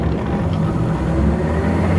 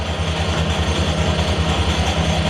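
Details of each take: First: Harrison L6 12-inch lathe after repair of its non-working clutch: steady low hum of motor and pulley spinning freely with no roughness or knock; running smooth, normal. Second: Harrison L6 12-inch swing lathe running at 1,000 RPM: light, loose rattle from a clutch plate with elongated pin holes. Clutch brakes, but weakly; springs on the pins are planned as the fix.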